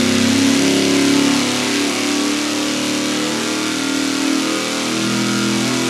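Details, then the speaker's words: Engine dyno full-power pull with a budget fuel pump on test, fuel pressure roughly 6.2–6.8: strong even roar with no stumble or lean miss; engine healthy under full load. "wow that's pretty good yeah basically started at uh 67 spiked up to 68 and worst case scenario was 6'2 and finished at 6'4"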